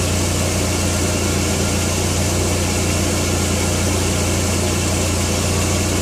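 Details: Skoda Octavia 1.8T AGU: steady, fairly loud idle with a rough, uneven rattle/tick mixed into the hum; rattling noise at idle, owner suspects faulty dual-mass flywheel, unconfirmed.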